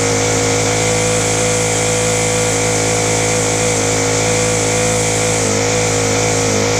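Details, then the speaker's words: Ryobi four-stroke trimmer, started on a freezing morning: it buzzes at high revs with uneven surging and a wavering pitch while the carburettor mixture screws are tweaked. The owner suspects the slow-running jets; rough running from incorrect carburettor mixture. "we're getting there it's just literally a mixture issue"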